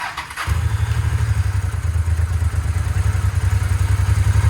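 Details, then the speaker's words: Harley Dyna bought back from insurance as a total loss. Its fuel pump was suspected not to be delivering, so fuel was fed directly. Catches after a brief crank into a steady, deep, loping V-twin idle. Normal idle. "did you hear the little hawk purr that's a good sign ladies and gents that's a good sign"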